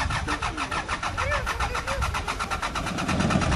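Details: Двигатель после гидроудара (вода попала в двигатель), Кипр, Акамас: ровные быстрые прокручивания, около четырёх в секунду, стартер крутит мотор, но он не схватывает и не заводится. Причина предполагаемая, не подтверждена.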